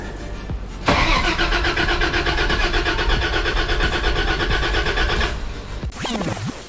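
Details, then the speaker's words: 80 Series Toyota LandCruiser after alternator, alternator plug and fusible link replacement: starter cranks steadily about four seconds but engine never fires; a lead disconnected earlier had been left unconnected. "right, ladies and gentlemen, as you see, it didn't start."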